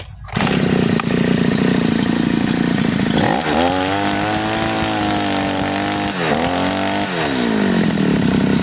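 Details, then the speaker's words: Side-mounted two-stroke brush cutter, new-from-shop factory setting with the mixture screw under the carburetor too loose: wavering, blubbery revs that sag and struggle to climb; rich mixture, fuel-hungry and powerless, most noticeable with nylon line. "Nah, biasanya setelan pabrik itu dia memang agak-agak longgar. Jadi mesinnya boros, tenaganya nggak ada ya."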